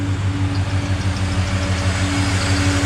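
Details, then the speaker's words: LS1-swapped Nissan Patrol GU V8 idling smooth and even after work, with a faint steady whir and squeak from the front belt area; the power steering pump is noisy, with water on the pulleys from washing the radiator. "oh idle's nice the power steering's making a bit of a noise and there's a bit of water on the pulleys"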